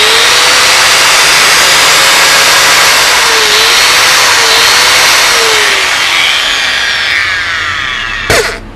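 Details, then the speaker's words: Bosch GWS060 angle grinder after repair; it had cut in and out, lacked power and sounded like an armature short, but the cause was dirty carbon brushes, which were cleaned. A steady high whine at full speed with no scratching, then a smooth wind-down; normal running. "ตอนนี้ก็เครื่องกลับมาทำงานได้เป็นปกติแล้วนะนะครับกับบอสGWS060เนาะ"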